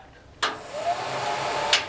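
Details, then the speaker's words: Ventline Model PH-2 range hood fan from a 1977 Sunline Sportster Deluxe 11FKS camper, first test on its switch: click, then steady airy whoosh with faint even tone until the next click; fan runs normally. "Oh, it's the fan. And it works. Check that out."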